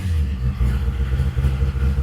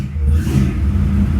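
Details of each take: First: 1955 Chevy V8 at first fire, cold, with good oil pressure: it won't run at all once the throttle is released, so the owner raises the carburetor idle. Uneven, lumpy rumble held up on the throttle; idle speed set too low for a cold engine. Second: Freshly built '55 Chevy, first fire after engine and transmission work: deep, steady V8 rumble with a slight rev, firing evenly with no knocks or misses; normal running.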